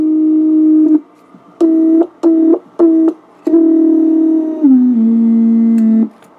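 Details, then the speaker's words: Original unmodified tube Heathkit VF-1 VFO keyed in tune position, heard through the receiver: buzzy keyed tone with chirps, clicks and low growl; mains hum from the 6-volt tube filament supply. "You hear the chirps and the clicks? Also notice the hum. That low growl."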